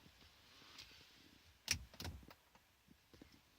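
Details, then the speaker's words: Lexia diagnostic interface (known-working lead) reading vehicle configuration: a few crisp, isolated relay clicks, one per item, over a quiet background; interface operating normally. "It's doing one relay click per item. So you can hear the relay clicking and the options going down."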